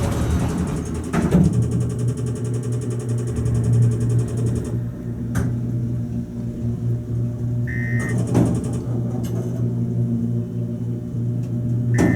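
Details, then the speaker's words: Otis hydraulic elevator, about 1980 install, Gateway Tower Garage, Dallas, riding up to floor four: steady low pump hum with dull clunks and two chime dings; weird running noises, reportedly improved, cause unknown. "makes some weird noises it's gotten better"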